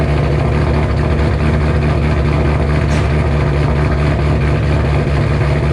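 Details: 2007 GT500 supercharged V8 on its first cold start after installing L&M NSR cams with a Venomous Tuning tune. Deep, heavy, steady idle with no knocks or misses: a healthy cammed idle.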